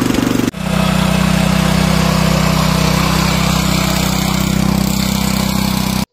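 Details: Power tiller engine just after carburetor cleaning, started on choke: a brief pull, then a steady, even single-cylinder drone at about four beats a second. Running smoothly.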